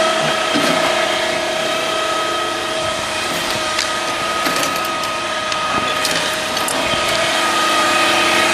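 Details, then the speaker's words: 2007 Chevy Cobalt 2.2L Ecotec idling after water pump replacement: steady whine, suspected drive belt, tensioner or harmonic balancer, with a light, busy clatter from a loose timing chain felt as vibration at the cover. "You can also hear the timing chain is actually loose on this vehicle, and"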